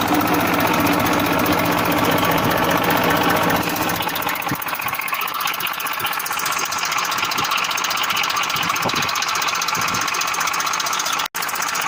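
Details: 1994 Massey Ferguson 1035 DI tractor diesel: steady drone at constant speed with an even firing beat and no odd noises; running normally.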